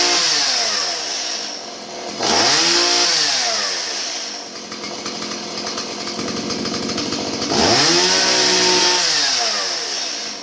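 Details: Stihl 017 chainsaw after retrofitting an adjustable non-EPA carburetor in place of the bogging EPA non-adjustable one: revs up crisply and falls back to a settled idle twice, no bogging or stumble on the throttle; running healthy.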